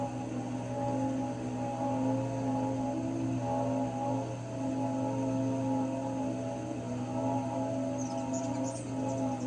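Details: Raypak 106A pool heater: steady high tonal whine with several ringing pitches over low hum, swelling slightly; recurring whine, cause unclear.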